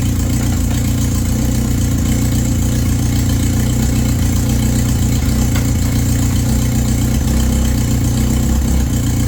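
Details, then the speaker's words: Toyota Tercel wagon 3A engine after head gasket replacement, timing checked correct: a loud, raw, uneven puffing idle with a deep blatty note; exhaust leak from an untightened exhaust missing its gasket. "all right the old rookie just didn't tighten the exhaust so yeah we'll go ahead and get that tight"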